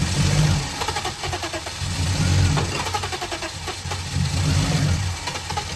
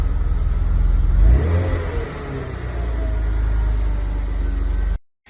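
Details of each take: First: BMW E34 that sat 15 years outside, run before replacing the fuel pump, on brake cleaner sprayed into the intake. Rough, uneven firing with a lumpy low thrum that surges and sags, then cuts out; the engine runs only on starting spray. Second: BMW E34 with M50 six-cylinder revived after 15 years outside, broken hose temporarily taped: smooth hum blips up once, drops back and holds a steady, even idle with no knocks or misses.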